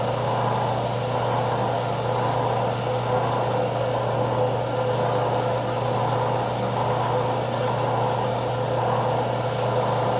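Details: Craftsman 101 12-inch lathe motor after fix: end housings removed and rotated a quarter turn, capacitor wire extended. Steady, even hum at constant pitch, no grinding, rubbing or bearing noise; runs smoothly.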